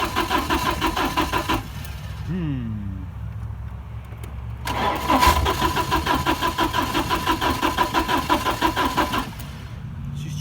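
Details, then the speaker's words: 1987 Porsche 924S after a blown, melted fuel pump fuse was replaced and the pump now runs: even cranking at about three chugs a second that never catches; it runs on starting fluid, so the injectors are suspected not firing. "alright so now I got the fuel pump running this thing should be starting up but it isn't and I have got it to run on starting fluid so I'm thinking that it's another one of those cases where the injectors aren't firing"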